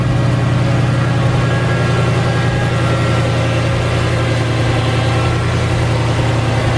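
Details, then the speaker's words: Mercedes E55 AMG M113K supercharged engine after supercharger belt tensioner replacement, cold start: steady even idle hum, no squeal or chirp from belt drive, quieter than normal; normal idle. "nice and quiet again I don't get too close against that Bell flies off hits me in the face"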